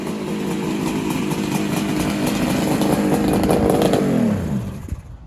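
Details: 1973 Kawasaki H1 two-stroke, timing being set: raspy rev holds, then falls away unevenly with a stumbling beat. Cylinders 2 and 3 run decently but number 1 misbehaves; one coil is mismatched red. Cause suspected, not confirmed.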